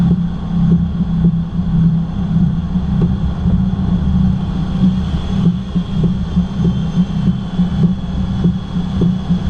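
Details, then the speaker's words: 2010 Cadillac SRX with about 107,000 miles, idling while the wheel is turned left and right: dull knocks roughly twice a second, diagnosed as worn stabilizer bar bushings. "it is exhibiting a knocking noise when turning left and right and I have diagnosed it down to the stabilizer bar bushings up in here"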